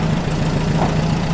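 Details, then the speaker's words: Freshly rebuilt VW Type 1 40hp air-cooled flat-four idling smoothly after a run, with a steady low putter and no knocks or misses; it comes back to idle nicely and makes hardly any heat. "sounds happy now it's coming back to idle real nice idle and smooth yeah really good yeah buddy nice real nice hardly making any heat at all"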